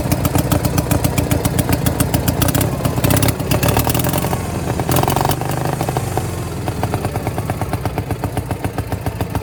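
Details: Power King 2417 lawn tractor: uneven, lumpy V-twin beat around three to four pulses a second, wandering and stumbling; running rich with poor throttle response.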